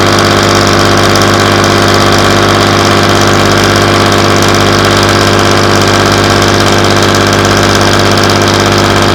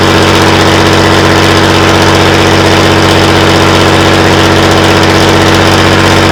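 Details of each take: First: Class 117 DMU 51412 diesel, first start in 5 years after bleeding fuel air via the hand lift pump: steady, even rumble at low idle of about 500 rpm, smooth continuous throb, no knocks or misses; healthy. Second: Class 117 DMU 51412 diesel, first start attempt in 5 years: fires and runs at a steady even beat, about three pulses a second with a droning hum, then stops shortly after; air in the fuel suspected.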